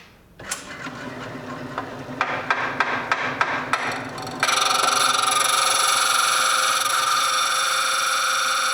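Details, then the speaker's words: Stone bead spun against a grinding setup: a steady high grinding hiss broken by regular ticking about three times a second as contact breaks at remaining flat spots on the bead, before grinding continues until the bead spins freely. "Okay, you hear that when it stops? Right there, that's the remaining spot where there's a flat. Oh, there's another one."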